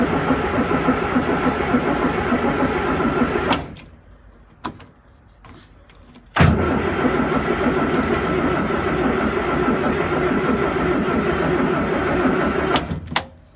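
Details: Morris Minor after 12 months in storage, out of gear with the electric fuel pump running and the cold start lever at full: steady, even cranking at about 3.5 turns a second, stopping and restarting, but it never fires; cause unconfirmed.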